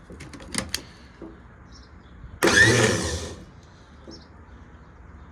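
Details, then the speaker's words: Starter tested on the bench before installation after repair, power hooked up: a few clicks then a sharp one-second whir winding down; starter spins freely, normal. "Sweet. Works good."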